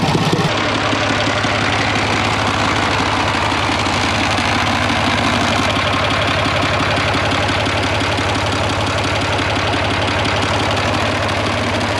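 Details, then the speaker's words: IH International 484 tractor, D179 3-cylinder diesel, after head gasket replacement, run about 15 minutes on loud straight pipe: steady diesel clatter, even beat, no misses or surging; runs well, fan may hit shroud. "all right guys i let it run for about 15 minutes or so everything looks pretty good wasn't blowing any hoses off like before"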